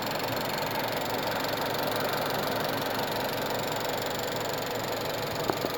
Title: VW 1.8T ticking noise coming from Engine driver side. is it Chain or camshaft